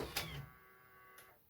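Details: Used eBay camcorder on first power-up: a click, a short smooth motor whir, then another click; the cassette eject cycles normally with no grinding.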